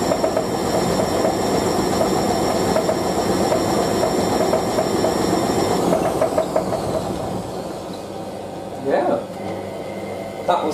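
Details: Hotpoint 9530W Electronic 1000 Plus washer washing towels, high spin: heavy rumble with rhythmic knocking, then the motor whine falls away as it slows; worn shock absorbers cause the knocking and creaking.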